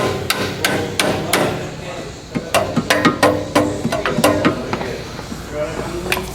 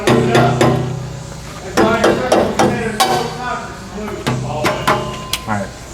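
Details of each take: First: 2003 Jeep Liberty inspection, catalytic converter struck with a rubber mallet: each strike is followed by a loose metallic rattle inside; internal rattle, the converter is bad and needs replacing. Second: 2003 Jeep Liberty during inspection, rubber mallet taps on rear exhaust pipe to check catalytic converters; taps ring clean and solid with no buzzing or loose rattle afterward: healthy exhaust tap test.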